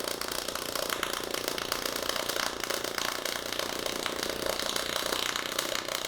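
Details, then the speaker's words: HTP Pro Pulse 220 MTS pulse MIG welding 16-gauge bent steel valance to 16-gauge with a TIG rod spacer filling the gap: fast, even buzzing crackle that changes as the weld lays in; steady pulse arc with good penetration. "You can hear there that as we really lay into it, the sound changes, and that's how you know you're getting the penetration you want and everything's going well."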